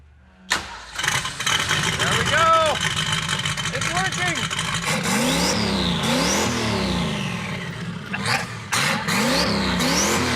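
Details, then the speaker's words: 1971 Datsun 240Z "Rotsun" turbo project car, first fire-up after the rebuild work: it cranks, catches and fires, then blips up and down with clean rising and falling revs. It works, if crudely. "okay it works it's just like I remembered it so crappy I love it"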